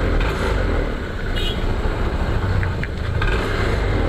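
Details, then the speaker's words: 2021 Honda PCX 160 at idle and on sudden throttle: uneven rattling clatter over a low idle thrum from the front pulley side of the CVT; loose roller housing cover rubbers, cured without replacing parts. "suaranya kasar seperti ini di bagian CPT ya jadi suara kasar di bagian CPT seperti ini saat langsam kakkklak gitu ya atau saat ditarik gasnya mendadak"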